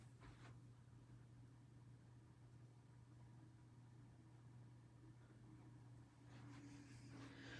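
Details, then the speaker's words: Hampton Bay Grayton 42-inch ceiling fan with light kit, running on low speed: steady, fairly loud electrical drone under quiet room noise; the motor hums noticeably on low. "So, on low speed, this thing hums kind of loudly. Though, honestly, I could probably deal with it."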